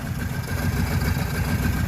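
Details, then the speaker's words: Cold Kawasaki Prairie 650 V-twin ATV after fixing fuel flow to the dual carbs, running without air filter: steady, even low rumble with no misses, knocks or rattles; normal idle. "let's see if she starts up now you can hear the fuel pump going probably could be a little bit gas here there we go runs great and that's without the air filter"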